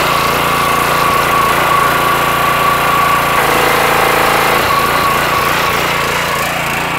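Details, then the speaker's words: Petrol pressure washer after internal repair of suspected unloader valve fault (previously wouldn't release high pressure, engine stopped abruptly at shutdown): steady, even engine pitch with a load change partway, then shuts down properly rather than stopping immediately; normal run and shutdown. "and that's the way it's supposed to shut down if you remember before kind of shut down and just immediately stopped"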